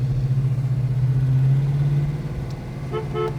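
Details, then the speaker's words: Restored 1968 Dodge Charger with a 440 big-block V8, about 5,000 miles since restoration: a steady low horn blares for about two seconds over the idling engine, then fades cleanly. The horn works. "Horn works."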